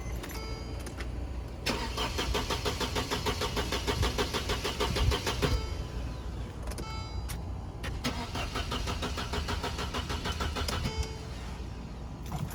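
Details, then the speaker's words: Mercedes with corrosion damage: starter spins in repeated bursts of even cranking but engine never catches and no pump hum; fuel pump and high-pressure pump fine but not getting power. "Fuel pump is fine. The high pressure fuel pump is fine. Um, it's just not getting power and that corrosion knocked out something."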